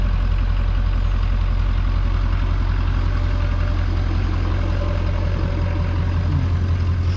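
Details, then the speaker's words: 2019 Ford F-250 with junkyard 2017 6.7 Powerstroke diesel swapped in to cure a knock, freshly refilled with fluids, first start warming up: deep, even diesel rumble at idle with steady firing and no knock or rattle; normal healthy idle. "sounds good so let her warm up a minute"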